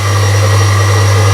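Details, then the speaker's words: Belle 240 V electric cement mixer that won't rotate unless pushed: loud steady low mains buzz, no run-up, motor stalled; failed start capacitor, probably blown by switching on when already loaded with mix; fixed by replacing it. "Customer says it doesn't rotate unless you give it a push. So let me demonstrate. You might be able to hear a buzzing."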